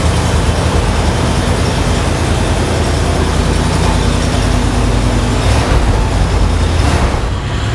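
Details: 1976 Cadillac Series 60 Fleetwood Brougham V8 after new muffler and resonator: heavy, deep exhaust rumble runs steady with no rattles, blowing or popping; exhaust sounds solid and healthy.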